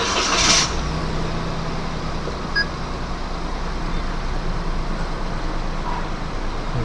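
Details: Perodua Axia just after spark plug replacement for jerking at 2–3k rpm: quick crank and catch, then a steady, even idle with no misses or stumbling; running properly.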